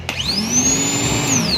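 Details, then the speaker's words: Toyota Hilux starter motor, which only clicked in the car, bench-tested straight off the battery with the body as ground: it whirs up to a steady high whine and winds down cleanly. Free spin is normal. "So umikot siya. So first step, inikot natin yung reverse."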